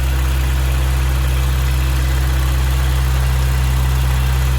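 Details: 1992 Toyota Pickup after charcoal canister delete and vacuum line reconnection: smooth, even low rumble with steady beat, no misses or knocks; warmed-up engine at a healthy idle.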